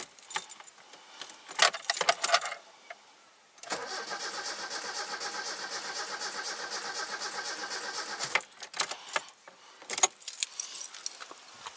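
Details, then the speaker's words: Toyota 4A-FE car that previously ran fine, battery confirmed good, cranking with starting fluid sprayed in: steady cranking about five seconds without firing; owner had suspected fuel, now doubts it. "Alright, it may not be fuel. I thought it was fuel, but let's do another step."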